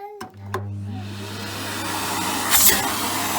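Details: Nilfisk Elite vacuum cleaner after clearing a clogged tube that caused abnormal noise: steady low motor hum with smooth even airflow, no rattles or choking; running normally.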